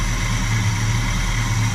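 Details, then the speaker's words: 1987 Chevrolet El Camino SS V8 with Edelbrock 4406 carburetor, accelerator pump not working, on old gas: starts right up; deep, steady burble with an even beat and no ticking or tapping; healthy idle. "But if you listen, she sounds really good under there. There's no tacking, no strange noises, just smooth as silk."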